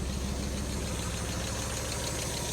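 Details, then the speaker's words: Fire-damaged Mk1 Mazda MX-5 at idle after new spark plugs, HT leads looking fine: lumpy, rough idle with dropped beats, cylinders 1 and 4 still misfiring; owner next suspected the coil pack, problem ultimately traced to engine computer and immobiliser. "still running pretty rough yep cylinder one still doing nothing so still miss firing on cylinder 1 and four which is pretty much what I expected"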